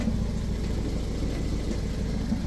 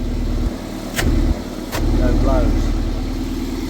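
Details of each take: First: Toyota MR2 idling before MOT, exhaust blowing at the flexi joint, sounds like a tractor on the road: steady low idle rumble with a rough chuffing edge to the exhaust note; exhaust leak. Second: Toyota MR2 with VVT-i engine after temporary exhaust repair with catalytic converter refitted: after a couple of knocks, settles into a steady even idle, much quieter, no chuffing; normal idle, blow solved.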